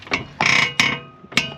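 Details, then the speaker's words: 2001 Honda CR-V, heard from under the car while the wheel is turned and the car rocked: sharp, dry creaks in bursts. Worn outer tie rod end with a flattened, ungreased rubber joint; replaced with a new tie rod end. "to this joint and it's really noisy when I'm driving this around so it's impressive that all that is coming from that one part"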